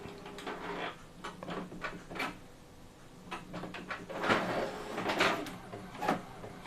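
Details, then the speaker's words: Epson L18050 printer printing with quiet mode off: irregular soft clunks and short sliding whirs of paper feed and print head, nothing harsh; sound nearly identical to quiet mode on, normal. "Hampir sama, nggak ada bedanya ya. Tapi ini quiet mode di off kan."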